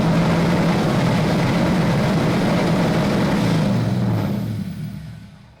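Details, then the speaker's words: LS-swapped Nissan 240SX with a tune being adjusted: the V8 holds a fast, steady idle well above normal for several seconds before shutdown; the owner believes the idle was not set all the way down. "High, right? Yeah, so I guess it didn't set it all the way down. So now it's idling super high."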